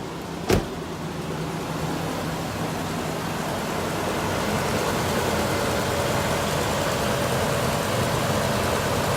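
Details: 2003 Toyota 4Runner supercharged 4.7L V8, after serpentine belt replacement: quick start, then a steady, even run with no knocks, squeals or misses; sounds healthy.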